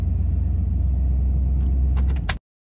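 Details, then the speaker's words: 1993 Ford F-150, about 110,000 miles, at startup: deep low idle with an uneven, pulsing throb before cutting off, check-engine light flashing codes 998 (limp mode) and 122 (throttle position sensor); rough idle from a failed throttle position sensor, replacement part ordered. "All right, so now let's start it up here. Idling like garbage. There's the flash. Went ahead for 5."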